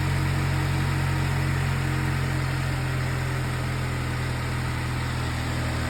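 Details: Petrol car at 185k, oil changed every 3k, cold idle: steady low hum with an irregular rapid clatter from the timing side of the engine; cause unknown.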